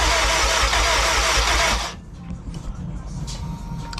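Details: K20-swapped Honda EF sedan after repairing a missing MAP sensor wire, timing checked, compression present: starter spins about two seconds with even beats but never catches; fuel injectors not firing.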